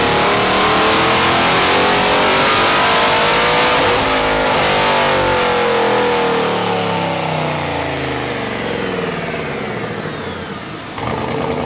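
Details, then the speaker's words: Procharged Chevy SS on a stock automatic at about 50, revs climb and fall with a raspy, slightly choppy low-speed burble that sounds like breakup but is just muffler tone, not a misfire: normal exhaust drone. "like right at 50 now almost sounds like it's breaking up low art like with Revit it sounds like it's like breaking up but it's not the way the mufflers making it sound"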